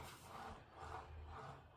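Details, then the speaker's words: 4moms Rockaroo swing after the fix: soft rolling swishes with each back-and-forth rock and no click. The earlier click came from excess plastic on one of four track wheels, which was shaving plastic off; the plastic was trimmed away. "beautiful. Nice smooth. No click."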